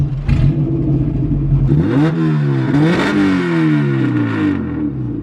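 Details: Car with a newly fitted distributor, running on fresh E85. Revs climb and sag unevenly under throttle, stumbling and dropping out instead of pulling cleanly; a dirty fuel filter or fuel system is suspected, cause unconfirmed.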